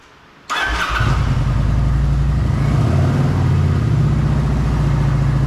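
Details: Kawasaki Vulcan 900 V-twin after fixing a no-start (fuel pump debris, blocked tank breather check valve): short crank, catches at once and settles into steady, even idle thump; starts healthy.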